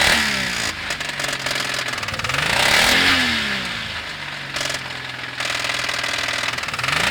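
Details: Toyota 1G-EU engine revved up and down: rapid metallic tapping knock that quickens with revs; owner thinks it's probably coming from a particular spot, cause not confirmed.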